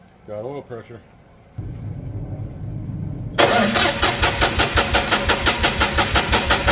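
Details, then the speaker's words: Perkins D3.152 diesel in a 1984 Lincoln SA250 welder, freshly rebuilt, first crank after install, injection pump off so no fuel, cranking to build oil pressure; even pulsing crank about three beats a second, no firing — normal cranking. "We'll go ahead and crank it for a bit. See if we can build some oil pressure. Pump is still off, so we shouldn't have fuel in the injectors."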